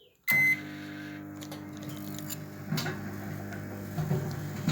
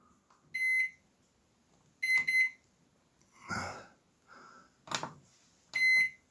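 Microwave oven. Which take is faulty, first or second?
second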